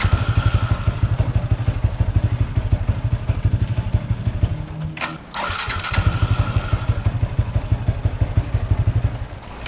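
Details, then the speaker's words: Yamaha Y15ZR motorcycle idling, shut off and restarting cleanly with a smooth starter whir after the starter one-way bearing was replaced. The earlier rough starting noise is gone. "Itulah dia bunyi pun dah hilang."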